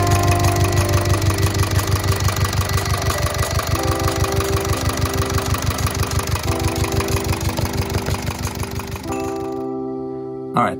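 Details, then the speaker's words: Volvo Penta MD11D sailboat diesel just after the rusted exhaust elbow was replaced, with cooling water flowing. Steady idle with even low pulses about three per second, under music. Normal idle. "there's water coming that's a good sign"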